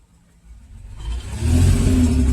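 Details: 2002 Mercedes ML320 with every cylinder on bank 2 misfiring, battery dead and jumped, almost no fuel. Revved, a deep rough rumble struggles and stalls in pitch before building, a bog under throttle. Diagnosis later second-guessed.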